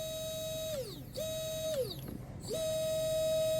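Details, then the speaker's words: Oxidean Marine 2835 3300kv 4-pole brushless motor in Pro Boat Miss Geico 17 catamaran, coupler lightly fitted, balance check; three quick spin-ups to steady clean high whine winding down smoothly, no wobble or rattle; normal motor spin. "good deal that sounds good that sounds really good if it had some wobble to it you would hear it and you would actually fill it"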